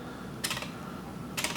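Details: Shimano Di2 on a Basso, front derailleur driven from the E-Tube phone app in maintenance mode during fault diagnosis: two brief crisp buzzy whirs about a second apart, motor stepping normally without strain; front derailleur has power and works.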